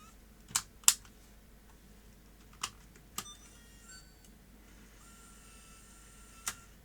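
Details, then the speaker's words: Sony DCR-IP7E MicroMV camcorder after repair, repeated eject tests without a tape: short crisp clicks with brief motor whirs. The mechanism ejects and closes cleanly without binding, in good working order. "it's all going very well so that little micro MV camcorder appears to be in good working order very pleased with that"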